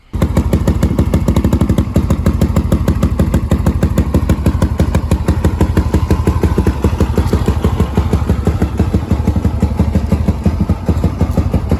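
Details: Restored Polaris Predator 500 ATV, finished after rebuild: steady, even single-cylinder thump at a fast idle through a loud exhaust, no misses or knocks; normal idle.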